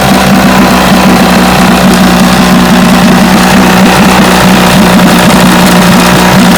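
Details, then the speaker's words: Vintage Johnson outboard that misfired at high speed, after the pitted new points were replaced. A loud, even two-stroke buzz at a steady pitch with no stumbles; running smoothly on both cylinders, and the trouble was the points. "so i believe that was the problem that's more steady running easy yep that was the trouble points"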